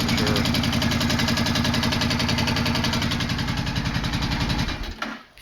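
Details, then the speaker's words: 2005 Suzuki Boulevard C50T V-twin idling, mic near the engine: fast even ticking clatter like an angry sewing machine from the front cylinder; owner plans a valve clearance adjustment. "hey YouTube so today I'm working on the boulevard we've got the notorious angry sewing machine sound coming from the front cylinder front jug"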